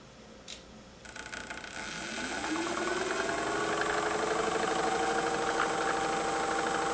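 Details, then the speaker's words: Freewing 4258 580kv brushless motor from a P-51D, after a prop strike, run at low speed: steady whine with a faint rough, rhythmic knock underneath; worn main bearings, bearing replacement planned. "Okay, so I'm going to run the motor at a low speed and we'll hear that sound, that knocking sound, which indicates a bearing."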